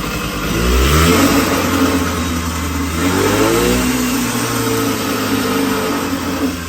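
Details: 1980 Puch Murray moped with a Tomos A35 top end, Mikuni VM18 carb and custom Estoril pipe, just after its first start at -7 °C with the engine super cold: buzzy two-stroke blipping up and sagging, never settling to idle; jetting not yet done.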